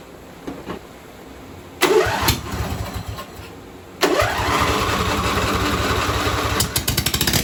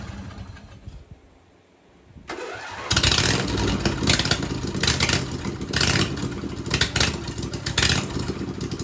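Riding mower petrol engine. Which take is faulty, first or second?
first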